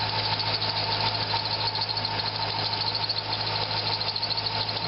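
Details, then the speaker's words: Corvette serpentine belt squeal: water on harmonic balancer pulley grooves stopped it, pulleys ruled out; steady high-pitched squeal over smooth idle unchanged with extra tensioner tension, so likely the belt itself. "it's not changing the sound so I am going to conclude that it's just the belt maybe"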